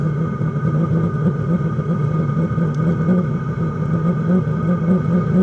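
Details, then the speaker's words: Diesel heater restarted after the pump connectors were cleaned and after long disuse: steady low roar with a soft, slightly uneven flutter and no popping or surging; burning fuel with some initial smoke, running normally. "So I started it again, and now it's actually running. Clearly you can see we've got smoke. You can hear combustion."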